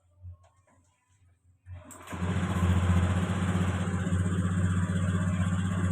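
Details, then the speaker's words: Fuel-injected Honda Beat scooter, fuel pressure 30 where 40 is expected, before manual ECU reset: quiet cranking, then it catches and runs with a fast, slightly uneven beat, hesitating as throttle comes on; engine stumbles on throttle. "Jadi pada kendala di sepeda motor ini ketika dilakukan proses gas ya nah seperti ini"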